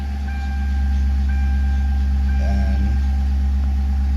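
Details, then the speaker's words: 2005 Mercury Grand Marquis V8 idling with a steady deep hum and a thin, high belt squeak about once a second; the owner says the water pump is going bad. "as you can hear, the belt squeaks and the water pump's going pretty bad."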